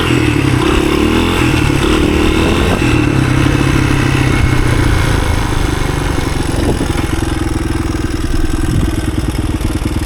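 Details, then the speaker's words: 1983 Honda XR200R single-cylinder on first test ride after years sitting, climbing in third gear: even thump pulling steadily under load, no misses, knocks or rattles; healthy engine, just needs a little tweaking. "Just fine. A little tweaking on this thing, and you're ready for the woods."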